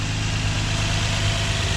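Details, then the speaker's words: 2004 Infiniti G35X VQ35DE V6 idling after PCV valve replacement, not yet fully warmed: smooth, even, quiet low hum with no hiss or knock; the earlier on-off noise is gone. "She's nice and quiet. JDM motor. Should last me a while."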